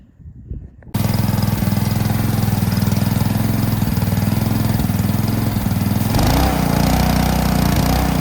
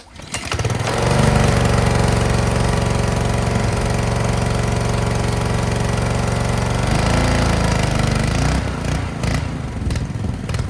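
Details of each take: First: Ryobi 3300 PSI pressure washer with Honda GCV190 engine, after draining old gas and backing off the pressure adjuster spring; holds a steady, even drone under load with no hunting or stalling, running smooth and healthy. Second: Ryobi 3300 PSI pressure washer, Honda GCV190 engine, after old-gas fix, hooked to water and spraying: runs steady then sags and dies as RPM rises; unloader valve set too high, pump building too much pressure bogs engine.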